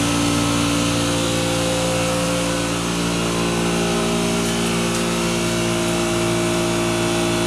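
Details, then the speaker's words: 2013 Riedel 6-ton air-cooled chiller, run for a couple of weeks, compressor running and fan cycling to hold temperature: steady, unchanging compressor hum, no knocks or rattles; running normally. "ld be here all day just because the the chillers finding a way to maintain that temperature between the compressor running fan going off in the hot gap"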